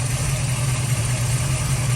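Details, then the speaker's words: 1970s Mercury Cougar V8 with a fresh low-mile engine, warm after a drive: smooth, even idle with a steady low beat and only faint hydraulic lifter patter; engine judged healthy, normal hot idle. "smooth this motor doesn't have any miles on it so all nice and tight yeah I'm going to say there is nothing wrong with this motor it sounds perfect"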